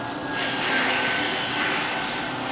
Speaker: the amount of noise that the pump makes is actually directly proportional to the amount of leakage the amount of air that's going across the turbines